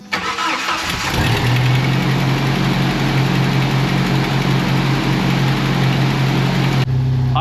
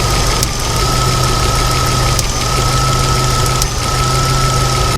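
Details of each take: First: Jeep 2.5L after replacing distributor (with cam position sensor), coil, wires and plugs: quick crank, catches cleanly within a second, settles into a steady even idle with no misses or popping; normal cold start and idle. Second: 1995 Jeep Wrangler YJ 2.5L four-cylinder, before repair: a steady idle with an occasional stumble and faint pop; a misfire the owner suspects is the camshaft position sensor in the distributor, to be fixed with a new distributor, coil, wires and plugs.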